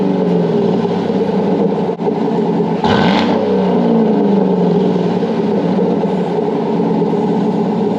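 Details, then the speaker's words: Chevy Tahoe 5.3 V8 with a used Corsa exhaust just installed, idling with a deep, even burble and a throttle blip. No rattles, banging or exhaust leak ticking. "runs that's cool that sounds way more nicer I like it you yeah no rattles nothing banging on anything"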